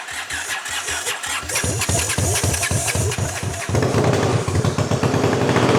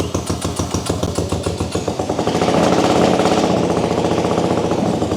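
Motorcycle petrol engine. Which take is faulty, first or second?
first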